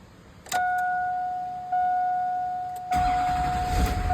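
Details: Stolen vehicle, recovered without its hood, batteries and lights, was a crank-no-start traced to a missing ECM fuse: steady dash chime, then the engine catches with a rough roar and keeps running; now starts fine.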